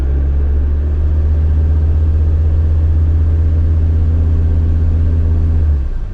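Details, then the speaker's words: Auction van, Ryder-serviced, held in drive against the brake while the throttle is pressed. Deep, steady engine drone under load with no clear whistle heard; a boost leak is suspected but not confirmed. "Honestly, it sounds like it's got a boost leak. Probably not the end of the world, though."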